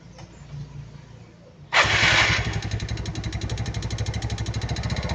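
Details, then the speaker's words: Yamaha Mio 115 scooter, started and revved after rear shock repair: fast regular light clatter over idle; suspected from the connecting rod or the cam chain/automatic tensioner, not confirmed. "หลังจากที่ครูติดเครื่องเนี่ยนะครับจะมีเสียงดังแกกๆๆๆๆๆอันนี้ก็คือครูก็ดังไว้2จุดนะครับก็คือ1เสียงดังมาจากตรงก้านสูบกับ2ของเสียงดังมาจากเรื่องของโซ่ราวลิ้นหรือพวกตัวดันโซ่อัตโนมัตินะ"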